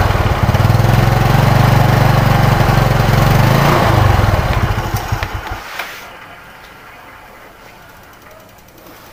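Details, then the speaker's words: Yamaha Mio Sporty fitted with genuine Yamaha 5TL CDI replacing the faulty non-original unit: smooth even beat around four per second at half throttle, winding down cleanly; normal running. "Coba kita hidupkan ketika di gas setengah saja sudah beda dari suara"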